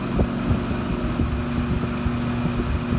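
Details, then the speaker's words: 2006 Ford Ranger aluminum rear driveshaft spun in balancing machine: dull uneven knocks about three a second over steady hum, more pronounced at lower rpm, from loose aluminum slip yoke; truck rumbles when driving. "that knocking noise through the threshold it'll come back here hope it's coming through on them it's more pronounced at the lower rpms there it is"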